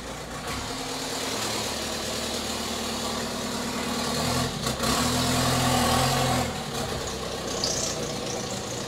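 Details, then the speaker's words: VW T5 Transporter with swapped rebuilt 1.9 TDI PD130 (ASZ) diesel: starts right up and idles steadily but loud with raw hissing rasp and open exhaust bark because the downpipe is not attached. "it might still sound noisy well it is going to sound noisy the downpipe's not attached starts right up no battery light oh we're ready to go"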